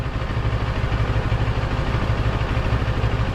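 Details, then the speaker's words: TFT dash cowl at idle with bracket screws left slightly loose: steady idle, no buzz; vibration noise returns when screws are tightened. "do no noise at all the minute I tighten up the screws the noise comes back and minut it there you go I think I'm just going to put some silicon on the screws and just leave it a little bit looser that's all I can do and the noise is gone"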